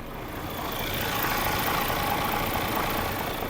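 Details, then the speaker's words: 2016 DAF CF440FT truck, 10.8 L diesel with robotized gearbox, 738,000 km: steady, even diesel idle with a smooth, unchanging beat and no misses or knocks; the engine runs cleanly, normal idle. "рівненько не троїть ніяких проблем немає працює все чтко і класно"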